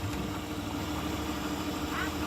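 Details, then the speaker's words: 2010 Chrysler Town and Country after hydrolock repair (manifolds, plugs and coils reinstalled): a steady, even hum with a slight lift in revs and no knocks or misses while smoking off water and oil in the cylinders. Normal running. "it runs good as a smoking see they can clear out all the water and oil that I've poured down in the cylinders rev it up a little bit"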